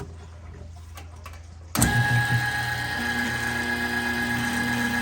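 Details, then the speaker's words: Kitchen trash compactor after its popped-off drive chain was put back on: quiet, then the motor kicks on with a steady hum and even gear whir, no clunks or slipping, while the ram cycles back up. Running normally after the repair. "you can see it turn in a big gear. And the ram, it's on its way back up, down there."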